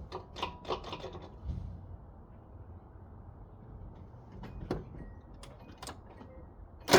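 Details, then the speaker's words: 1986 Nissan pickup farm truck, fed sprayed starting fluid (brake clean, wasp spray): a few ragged firing bursts catch briefly, then fade to near silence. Runs only on sprayed fuel; fuel delivery fault, fuel pump suspected. "Okay, this is exactly what he said it was. It's a fuel problem."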